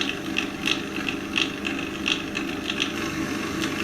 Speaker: this is the pillar drill working beautifully